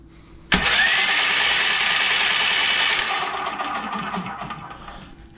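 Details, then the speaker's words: Formerly locked-up small engine, electric start, being cranked with the spark plug fitted. It spins fast and smooth with no compression strokes; something inside is suspected broken. "now that sounds like no compression I make sure the spark plugs on and try it again"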